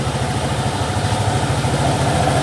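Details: Scooter after CVT service (new clutch shoes, pulley greased with heat-resistant grease): steady even engine hum with smooth drive noise, no rattle, slap or judder from belt side; very smooth, transmission healthy.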